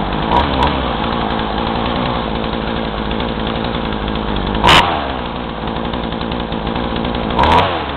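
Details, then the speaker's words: Craftsman chainsaw with new fuel lines, about 40:1 mix, run hot without choke, carb screws about 1.5 turns out: a buzzy two-stroke that bogs and stumbles when throttle is squeezed, though it revs up, with smoke. "uh but whatever but uh it starts and runs but it bogs a lot so like uh whenever i squeeze the throttle just box and but it does rev up"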